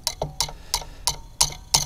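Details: Delphi common rail injector from a Bobcat on a bench test kit, firing around 4000 psi: sharp, crisp, evenly spaced pops about three a second with good nozzle spray and very little back leakage; normal injector firing.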